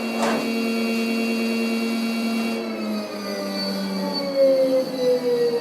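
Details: Custom high-voltage brushless drum motor and controller set to 8 poles instead of 12: steady whining hum with rough buzzing layer, running out of phase at too-low frequency, grounding and vibrating the table.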